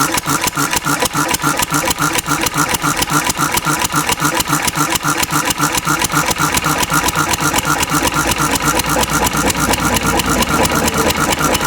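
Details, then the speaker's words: Antique Cushman Cub 4-stroke 3 hp throttle-governed stationary single running on about 90% Zippo lighter fluid, deliberately flooded: uneven loping beat with stumbles at slow idle, black smoke and a backfire; rich mixture flooding. "I'm going to flood it and see, but it runs just fine. There's some nice big black smoke clouds. The backfire. More black smoke."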